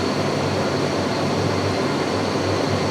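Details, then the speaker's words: Shop furnace just converted from natural gas to LP, main blower kicking on after blue burner flames: constant airy whoosh over a low steady hum, no rattles, scraping or squeal; normal blower operation. "All right, let's see if the actual blower itself kicks on. Oh, I hear it and I feel it. Oh yeah. Nice."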